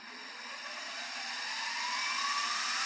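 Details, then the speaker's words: Belt-drive mini mill with no high/low range and variable speed from 0 to 2500 rpm, running considerably quieter than the gear-drive machine. Smooth high whir climbing gently as the spindle spins up, no gear clatter. Normal running. "And I think, as you can hear, it's considerably quieter."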